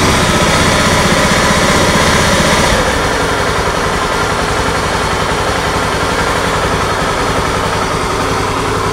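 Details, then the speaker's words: Honda Scoopy ESP scooter, owner complains of rough engine noise when running: harsh, gritty whirring growl over idle, louder at first then settling; source unconfirmed (bearing, gearbox or CVT suspected), crankshaft bearing whine. "Ya teman-teman jelas suaranya jadi suaranya kasar seperti itu ngagerengseng pak ya"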